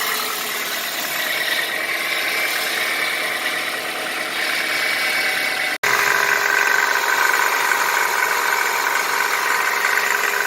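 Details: 1999 Chevy Prizm (Geo Prizm/Toyota Corolla) petrol engine after repair, idling with an even, steady hum; the rattle from a slightly loose power steering pulley on the passenger side is gone after tightening with a 17 mm wrench.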